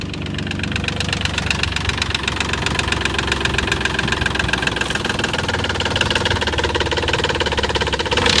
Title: Nissan 300zx engine knock